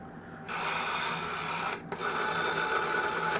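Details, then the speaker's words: 710 telephone with a suspect photocopied dial label: a busy mechanical whirring runs while the rotary dial returns, stopping briefly then resuming, because the dial's clutch isn't working and is driving the whole mechanism; dial otherwise runs fine. "How does it dial though? Is it any... yeah, doesn't run bad, but the clutch thing in the dial isn't working because I can hear that's making all the mechanism run that way, and it shouldn't be."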